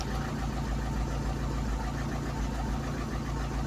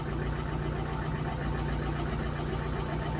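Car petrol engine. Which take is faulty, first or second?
first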